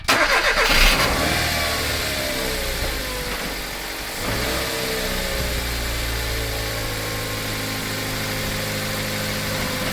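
Small petrol engine idling with a light, fairly regular tinny clicking over the hum, from a loose exhaust heat shield.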